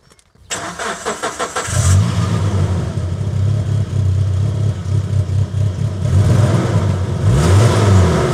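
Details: Suzuki Grand Vitara started up: it cranks, catches and runs lumpy with an uneven chuffing beat and a dropped pulse, revving high on its own; a misfire from something more serious than a coil pack.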